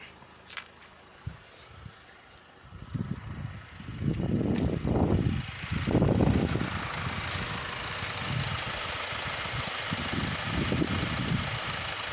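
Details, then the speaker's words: Renault Laguna 3 coupé 2.0 dCi diesel after replacing an engine mount, suspected cause of dashboard vibration; fires up, revs briefly, settles into steady, even idle with no knocking; dashboard vibration gone, normal idle. "voilà donc là je démarre le véhicule mais voilà je n'ai plus de j'ai plus de vibrations au niveau du tableau de bord voilà donc tout est légal pour moi"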